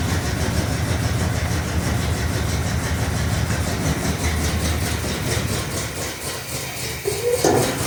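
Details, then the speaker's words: 1968 Cadillac DeVille convertible V8 after negative battery terminal replacement and temporary wiring splice repair, new cap and rotor, carburetor adjusted: steady even idle burble with no misses, possibly running slightly rich; normal running. "okay so it's running um I was messing with the carburetor so it may be running a little bit Rich right now but it's running"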